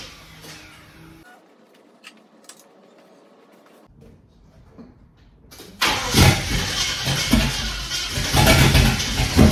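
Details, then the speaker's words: Holden VK Commodore 5.0 V8 after electrical fixes, first start after flooding, cleared by flooring the throttle: quiet, then the engine catches and roars into uneven open-exhaust revs; now running healthily. "I think what happened there was I think it flooded and didn't want to start so foot to the boards and bingo it lit up so that issue sorted now"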